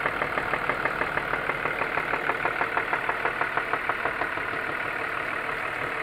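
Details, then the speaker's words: BMW E39 with M54 engine at idle: sharp, evenly spaced knock about three per second over steady idle, from inside the engine, seemingly near cylinder 3; oil seeping through valve cover; cylinders disconnected one by one to find the source. "Стук откуда-то от третьего цилиндра, что ли, блядь."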